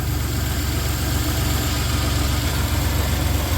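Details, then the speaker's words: 1993 Dodge Caravan after fitting a new belt tensioner, idler pulley and AC belt: even, steady idle with a smooth low rumble and no belt squeal or chirp; quiet, healthy running. "Please don't squeak. Ah, look at that. Nice. Quiet as can be, and that tensioner rides a lot better."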